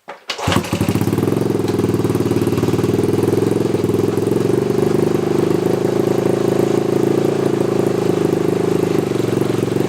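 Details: Honda CT90 Trail 90, first kick in about 25 years (last run ~1990) after valve adjustment, timing check, redone points and new condenser, muffler refitted: fires on the kick, settles into a steady, even putter with no ticking or missing; normal idle.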